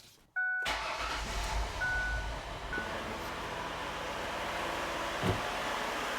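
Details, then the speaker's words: 2007 Ford Freestar/Mercury Monterey petrol engine starting right after replacement of the upper intake manifold plenum gasket. It cranks briefly, catches, and settles into a steady, even idle with no misfire. "There we go. Sounds good. Make sure there's no misfires."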